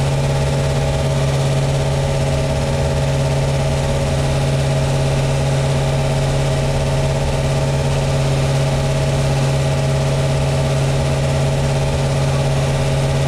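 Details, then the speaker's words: 1972 Plymouth Satellite 318 V8 with a new flat-tappet cam and zinc-added oil, idling while warming to temperature: steady, even idle with a smooth low drone and no ticking or knocking; healthy engine. "all right let's let it warm up a little bit and uh now that we got it up to temperature and the coolant is flowing through the actual engine"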